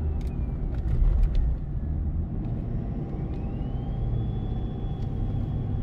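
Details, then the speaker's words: Ford 6.7 Powerstroke with MPD compound turbo kit, heard in the cab with windows up, accelerating up a mountain to 43 psi boost: a deep diesel rumble with a thin whistle climbing in pitch, then holding steady; normal compound turbo spool. "it is non-stop whistle in the cab some people might think that gets annoying but for me i hardly use the radio anymore it's just all turbo noise"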